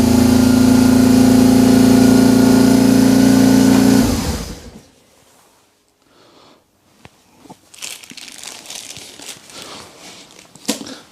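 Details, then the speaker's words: BMW R 1150 GS twin, cold start after wiring harness and Hall effect sensor wiring repair: steady, evenly held high idle for four seconds, then cut off; owner concludes a stuck accelerator cable is holding the throttle open; high idle. "so it's definitely an Accelerated Cable stuck but considering this is cold it's actually firing up quite nicely"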